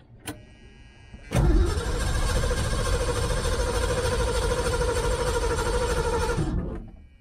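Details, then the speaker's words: 1978 Ford Mustang II, started after sitting for months on old gas poured down the carb, weak battery on a booster: short crank catches, runs a few seconds at steady idle, then dies; out of fuel, with little in the filter, possible fuel delivery issue. "well yeah apparently we had no fuel a little bit of fuel in the filter so we may have a fuel delivery issue on our hands"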